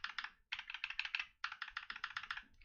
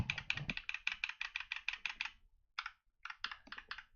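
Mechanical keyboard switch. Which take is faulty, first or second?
second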